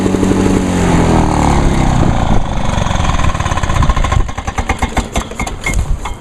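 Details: 1986 Lawnboy 8461 commercial mower, 21-inch cast aluminum deck, after fuel valve was turned on (had been forgotten off): two-stroke catches and runs with busy popping beat, then stumbles and fades as fuel is shut off; ran normally.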